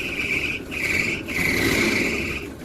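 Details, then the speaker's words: 1982 Tiffin Allegro motorhome with 48,000 original miles, parked and running: a high, steady squeal over the engine, broken by brief gaps. The owner notes a noisy belt. "but ya know it's got a noisy belt I"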